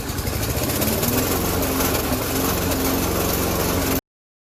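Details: Yard Man lawn mower previously run out of oil and seized, oil refilled to full; steady, even single-cylinder drone holding one speed with no knocks or misses, no oil leaks underneath; runs smoothly and healthy after revival.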